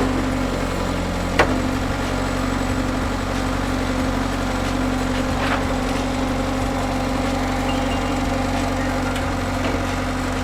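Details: Bobcat S175 skid steer diesel after cold start, steady low even idle with only a couple of stray knocks; normal idle, runs fine.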